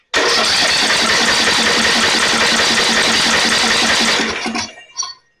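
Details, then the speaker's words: Snapper 28" riding mower, 12.5 hp Briggs & Stratton, after another shot sprayed in: catches and runs rough about four seconds then dies; flooded engine, plug soaking wet, likely worsened by long cranking without spark. "Yeah, if you can see that, it's soaking wet. So, me cranking on it without fire for a while, that probably didn't help."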